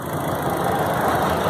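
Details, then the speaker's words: 2000 Chevrolet Astra after replacing the water pump, accessory belt tensioner bearing and inner and outer timing belt covers: smooth, even idle with a steady low hum and no whine or rattle from the pump or belt area. "correria acessório motor funcionando redondinho aí"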